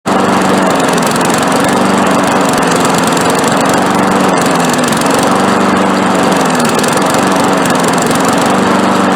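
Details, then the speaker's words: Briggs & Stratton 5.5 push mower running with a wavering, hunting surge, spitting and missing and cutting back; owner suspects intake leak or bad head gasket among possible causes, while uneven firing suggests a gummed-up carburetor starving the engine. "it's gotten to the point now um as you just saw it just surges and it you know spits and misses and cuts back"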